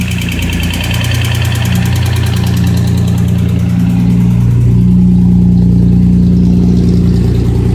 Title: 240z bad engine noise